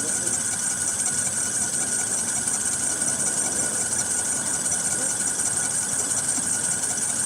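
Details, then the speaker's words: 2013 Ford F-150 3.7L after water pump and alternator/belt replacement, returning with heater hose coolant leak: steady high-pitched squeal over a smooth idle; possibly a pulley going bad; belt squeal. "Sounds like it could be a dinker pulley going bad with it. I don't know. It's not leaking."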